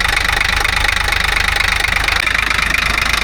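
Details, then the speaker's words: 1985 Ford truck with Hino Japanese diesel, smoky just after starting, charging: odd-sounding rough idle with a hard, uneven clatter at three to four knocks a second over the diesel rattle; knocking at idle, cause unknown. "These things are odd sounding."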